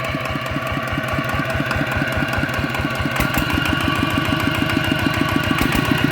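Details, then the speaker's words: Customer's ET80 single-cylinder diesel, just rebuilt and upgraded to 90 with new lines: steady, even chug at about four beats a second, no knocks or misses, soft and pulls well; normal running. "ก็ฟังกันนะครับโดยรวมแล้วก็นิ่มนะครับเสียงนะครับดันขึ้นดีนะครับ"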